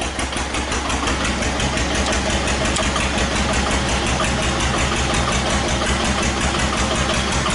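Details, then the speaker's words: 1941 Witte CD 12 hp single-cylinder diesel 8000 W generator set, worn engine, 2000 W more load added toward 75%: steady thump under three beats a second easing as speed and frequency drop; owner suspects governor linkage backlash; speed sag under load. "yeah he's starting to slow down frequency dropped quite a bit oldest drop two yeah I don't think it's correct quite ready for 75 percent load"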